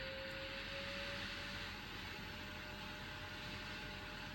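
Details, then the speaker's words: Large washing machine on quick spin after fixing the blocked drain pump: steady even whir with constant mid hum, no knocking or grinding as drum spins up; healthy after repair. "And you see the machine spinning up nicely and there's no noise."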